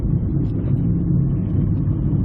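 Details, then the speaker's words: 2001–2002 Ford Escape on the road at cruising speed: a deep, steady droning roar over road noise from a badly worn front wheel bearing, side not yet known; swerving left and right is used to find which side. "We have a 2001, 2002 Ford Escape, and as you can hear, it has one heck of a wheel bearing noise. Now, it's in the front, we know that, but which side is it?"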